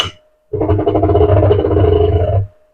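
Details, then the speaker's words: Anycubic Kobra 3 V2 Combo running its first self-test after setup; a steady low buzzing drone for about two seconds as it tensions the belt and slides the plates, which is a normal belt-tensioning self-test. "So, it's tensioning the belt. Sliding the plates around."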